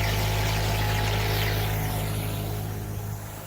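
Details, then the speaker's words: Air compressor during winter blowout of a 9-zone sprinkler system, zone 1: steady low drone pulsing about four per second, holding even under load and keeping up, with air hiss around it; running normally. "Gonna have a few that are gonna start spitting. There's the air compressor keeping up with everything."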